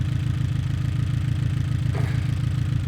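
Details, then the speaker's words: Abarth 500/595/695 at idle with coil pack on cylinder four unplugged: idle turns lumpy with a regular stumble about three beats a second, confirming that coil was firing; all four coils good, spark plug three suspected as the misfire cause. "Just to double check, let's disconnect four as well. I'd now expect this to cause another misfire because we know this coil pack"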